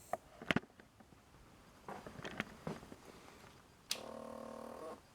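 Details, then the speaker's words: 1992 BMW K100RS 16-valve motorcycle at key-on with a very weak battery (dim lights, ABS not cycling): after clicks, a soft buzzing hum of the fuel pump runs about a second, weak; low battery starving the fuel pump. "um did you hear how weak that was the abs is not blinking it's not cycling"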